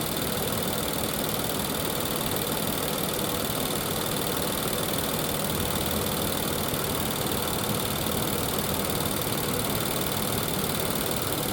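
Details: 2020 Infiniti QX60, 95,882 miles, with a known oil consumption problem and codes P0300/P0304: the V6 idles with an uneven, lumpy pulse from a cylinder 4 misfire with a filthy, oil-fouled plug; a coil is also suspected.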